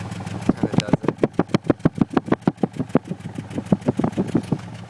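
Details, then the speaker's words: V6 Mustang idling, right-side muffler; exhaust chuffs unevenly with a sputtering skipped beat every few pulses, a misfire. RPM gauge is steady, there are no check-engine codes, and most of the ignition system has been replaced without a fix. "okay so this is the right side Muffler you definitely here it's kind of sputtering out of this side every couple shots it"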